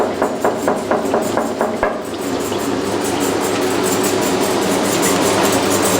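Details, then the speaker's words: 1989 Maytag Orbital Fabric-Matic washer with a large load of colors, in spin with a lower pitch as if the motor is struggling: about two seconds of intermittent sharp knocks, then steady drum hum; cause unknown. "i was quite surprised because when it was spinning guess what i heard i heard the knocking sound"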